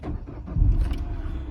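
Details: 2008 Peugeot 207 1.4 VTi Sport petrol, bought cheap at auction, clutch needing work; brief crank then fires almost instantly into an even steady idle, no engine warning lights; normal engine start.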